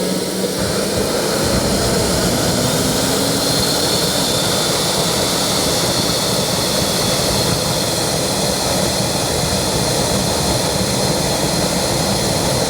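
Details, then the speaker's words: KJ-66 model jet turbine after service and repaired internal fuel lines, successful start on homemade test bench and ESP32/Arduino ECU; steady even roar with clean constant high whine, no surging or rubbing. "oh das ist gut so jetzt kühlt er sich ab ich hoffe er raschelt jetzt nicht mehr oder ist nicht mehr am Ende am kratzen"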